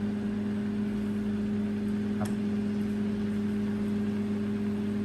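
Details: Microwave after its noisy motor shaft was oiled and greased and the oven reassembled: steady, even hum with no scraping, rattle or knocking; the motor runs smoothly and quietly.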